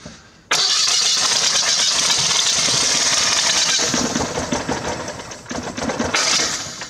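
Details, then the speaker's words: Old Citroën Acadiane, cold start after its ignition wires were reconnected. The engine catches and runs rough and lumpy with every other firing missing. It is running on only one of its cylinders; oil pressure is present. "Tim yes the engine works but is running on 50% of all its cylinders how many is that only one it's running on one cylinder"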